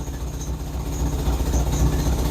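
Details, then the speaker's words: 1961 Nash/AMC Metropolitan barn find idling: low, chuffing, uneven exhaust rumble with a hollow puffing beat. It is an exhaust leak at the slipped-on tailpipe at the muffler, and the muffler guts are possibly pulling out. "a pretty decent exhaust leak. The tailpipe coming out of the muffler is just slipped on there. I mean, actually, I think maybe the guts of the muffler are starting to pull out, but that's why it sounds the way it does."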